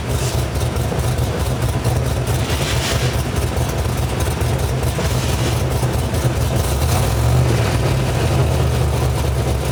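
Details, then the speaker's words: V8 with a mild cam (216/220, .550, 114 LSA), base idle timing about 18°, and a ±10–12° over/under idle timing correction wall: a deep, lumpy idle rising and falling in an uneven lope, the cammed idle chop. "that up and down up and down that's literally the chop of the cam"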